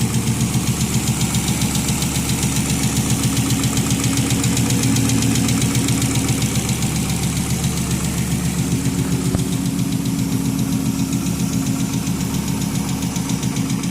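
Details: 1996 Volvo 850 Turbo petrol, about 200,000 miles, fresh oil and new spark plugs, idling after a drive and restart: steady even ticking about four a second over low hum; owner suspects lifter tick.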